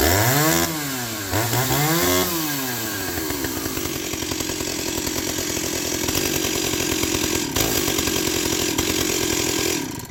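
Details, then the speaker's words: Stihl 028 WB chainsaw, unused about five years, bar oiler problem, started before disassembly: two quick revs up and down, then settles into a steady high buzzing run with no stumbling; normal running. "like it was born yesterday"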